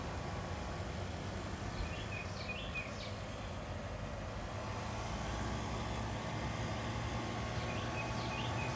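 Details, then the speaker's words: Chevy Bolt EV parked and charging in Hilltop Reserve mode: a loud, steady rushing roar slowly winds up from the radiator area, like the cooling fans running hard, and winds down when unplugged. Overheating suspected, not confirmed. Loud cooling fan noise while charging. "as soon as it hits hilltop reserve it's charging [Music] but just it's a little a little loud and it slowly winds up so Wow listen"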